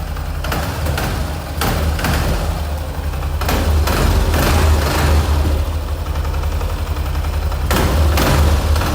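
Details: Yamaha XT 660 single-cylinder: thumping idle with a loose, uneven metallic rattle on top; cause was simply a loose nut.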